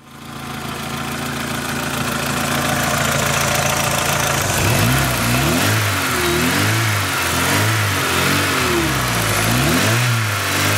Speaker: my pretty good sounding for a 250 car huh nice